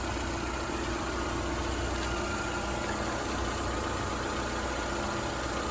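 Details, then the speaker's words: Nissan car running after being started on a makeshift battery charging setup, battery repeatedly dying: steady low idle drone with no knocks, idle sagging slightly for unclear reasons; gas smell noticed. "Why is it slowing down? I can hear the oil, the gas. I can smell gas."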